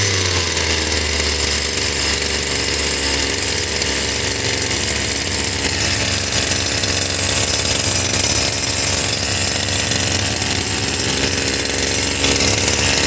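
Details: Stihl FS76 two-stroke brush cutter over 20 years old, brought in not starting, compression good, cylinder checked with muffler off: high buzzy note holds steady and revs cleanly without sputtering; carburetor sounds decent for now.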